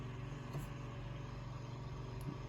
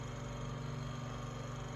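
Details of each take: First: Room Essentials Velocity F-0411 four-inch single-speed desk fan running: steady low hum with an even airy whoosh, no vibration or rattle, not particularly noisy, normal running. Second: Room Essentials Velocity F-0411 one-speed desk fan (March 2011), after running a while: low steady hum with faint rhythmic scraping; owner says not a dry bearing, suspects rotor rubbing stator or a loose blade, unconfirmed.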